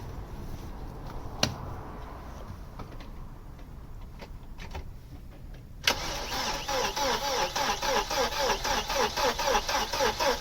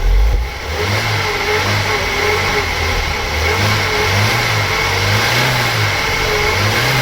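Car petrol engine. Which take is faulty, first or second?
first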